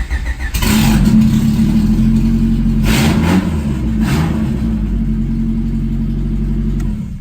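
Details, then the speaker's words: Honda Civic D16 engine, reportedly about 96,000 miles, with a new head gasket, Gates timing belt and water pump, and an open header. It cranks, catches quickly and settles to a steady, even idle with slight smoke and no knocks; runs good. "So as you can see, it does run. There's a little bit of smoke coming out of there. Yeah, so it runs good."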